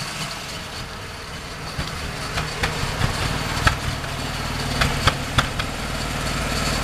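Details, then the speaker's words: Mazda RX-7 FD Type RS rotary after a broken 15 A fuse was replaced, which restored the air pump. It still idles unevenly and lumpily with sharp, irregular backfire pops about every second; the cause is unclear. "The motor's still doing its whole rough idle thing and backfiring, but at least we're somewhere now."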